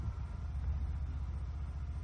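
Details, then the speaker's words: 2021 Ford Bronco 2.7 Lux with start-stop deactivated, stopped for a few minutes after restart in cool weather: steady, even low rumble; rpm holds and the engine does not shut off. Normal idle. "all right still on as you notice the rpms are still going the car is not turning off"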